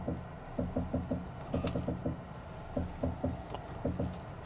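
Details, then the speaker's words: First-generation Volvo S80 2.0T, poorly maintained, steering wheel turned while parked: bursts of dull, low clunks; owner suspects a worn worm gear or failing steering gearbox. "네 , 바로 이런 소리 가 납니다 . 음 . 제 생각 엔 웜 기어 때문 인 것 같습니다 . 웜 기어 . 스티어링 기어박스 가 고장난 것 같습니다 ."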